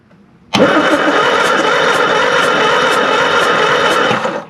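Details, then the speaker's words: Classic Mini Van engine, off the road 25 years, cranked with a plug out: even rhythmic churn for about four seconds with no firing; no spark, later restored by filing the points. "Nope, no spark whatsoever."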